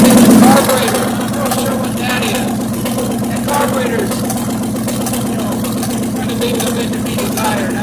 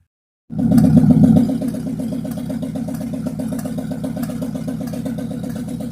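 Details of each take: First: 1957 GMC truck, first start in 40 years after oil pump repair; old engine chugging unevenly at idle with irregular soft pops backfiring through the carburetor, cause not pinned down; next step is adjusting the carburetor air screws. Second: Abandoned 1957 GMC truck on its first start in 40 years, following an oil pump fix and new oil pan gaskets. Heard from a distance, it settles into a steady, even idle of about four beats a second with no knocks or misses. It is smoking but sounds healthy.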